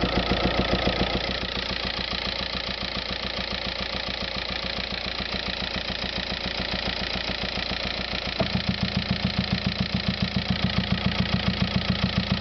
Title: VW Passat TDI weird engine noise